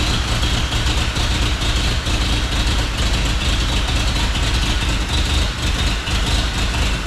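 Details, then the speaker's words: 1950 Chevy Styleline, sat over 5 years, first start after adding gas: lumpy, uneven loping idle about two beats a second like an old tractor; cut vacuum line plug found, likely hindering tuning. "Sounds like an old John Deere. Now I got a different problem. I definitely have a cut in one of my vacuum line plugs."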